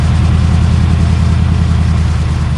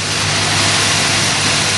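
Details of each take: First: 1978 Cutlass 403 V8, restarted after sitting about 1.5 months: lumpy, uneven idle with a recurring skip, still missing on a cylinder. Earlier knock gone, distributor clicking audible; misfire. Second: 1978 Oldsmobile Cutlass G-body 403 V8, cold at fast idle after an arcing distributor cap was replaced and borrowed plug wires fitted: steady, even idle, hiss-heavy exhaust, no stumble or knock; now running on all eight.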